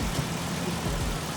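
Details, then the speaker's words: 2003 Ford Sport Trac, warm engine after Accel ignition coil install to cure a misfire: steady even idle programmed around 750-800 rpm, no stumbles or skips, no check engine light; smoothest it has run. "it's running as smooth as that I have it programmed about seven 800 rpm at idle so it's ilink right where it needs to be not a single hop on the engine right now"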